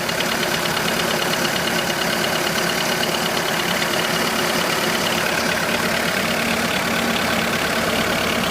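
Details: 2005 VW Polo 1.4 petrol, 84,810 miles, idling cold and then hot: light, fairly regular clicking about twice a second through the engine hum, cause unidentified.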